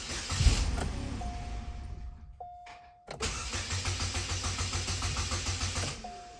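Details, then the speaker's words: 2005-2010 Chevy Cobalt with fuel pump relay removed before fuel filter replacement: steady starter cranking at about three and a half turns per second that never catches, cranking to relieve fuel pressure; no start, no fuel pressure. "come back in the car let's go ahead and try to crank it a few times just make sure that pressure is relieved"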